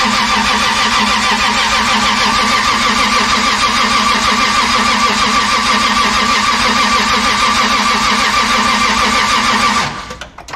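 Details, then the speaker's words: Toyota 2JZ engine swap project, first start attempt with fuel pump disabled to build oil pressure: steady even cranking about three beats a second, never fires; slight crank pulley wobble noted. "well it's not starting but it's pretty dang cool to have it make some noise even if it's not idling and starting noise pretty awesome to see the engine turn"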